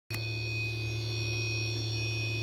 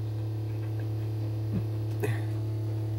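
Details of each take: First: MX60 charge controller just switched from 24V to 48V, with two 24V panels in series; array at 56V, battery at 53V. A steady hum and constant high whine occur when PV voltage falls below 60V; owner suspects an alarm, unconfirmed. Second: MX60 charge controller switched from 24V to 48V, with an array of two 24V panels in series. At 58V array, only a steady low hum is heard; the strange noise heard at times below 60V PV is gone.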